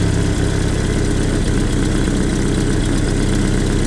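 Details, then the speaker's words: Land Rover Series II 2.25 petrol, Weber carburettor; it idled too fast and may have overheated. Idle screw turned down: steady, low, slightly lumpy idle, now slower but not running perfectly. Owner thinks 600–800 rpm is typical. "See, that's already idling a bit slower. Not running perfectly, as you can hear."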